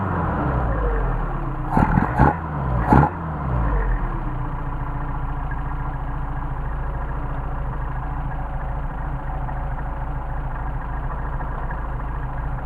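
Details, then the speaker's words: Mercedes 190SL rebuilt Solex carburetors after linkage adjustment: three quick throttle blips, revs drop cleanly back to about 600 rpm and hold steady; good response and recovery, normal idle. "check our idle ah my machine it's cold and back to about 600 on the idle so we got good recovery good response and then good recovery"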